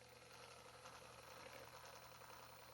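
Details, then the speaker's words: HG P407 Tamiya Bruiser clone RC Toyota pickup with new Hobbywing 1080 ESC, on jack stands, 2WD, in 2 low (not granny gear): soft even gear rumble, no high motor whine, drive clean and quiet; normal gear noise. "is the gears. That's it. And this is I have it in 2 low, which is not the granny gear."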